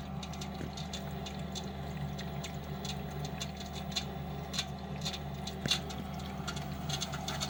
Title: Lenox furnace slugging and ticking sound.